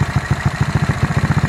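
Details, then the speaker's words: Rusi Royal GY6 scooter with a 59 mm big-valve build and a Speed Tech regrind 6.5 cam, in break-in with low compression. It idles healthily with a steady, even thump about seven beats a second and no top-end ticking or clatter. "Yung cam niya na speed tech, tahimik naman na regrind 6.5."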